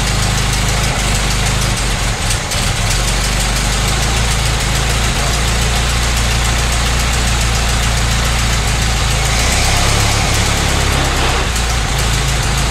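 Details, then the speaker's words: 1925 Ford Model T C Cab with distributor conversion, first run after sitting a couple of years: low, steady, fairly quiet rumbling idle with no misses, expected to burn off some oil, happier with more spark advance. Normal idle. "i'll probably take a little bit to burn off a little oil all right"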